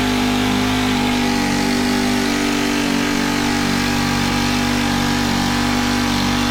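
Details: Honda FG110 with GX25 single, after cleaning oil-soaked air filter and with oil low: steady fast speed never dropping to idle; overtight 10mm throttle-cable nut binding cable and holding throttle open, to be loosened.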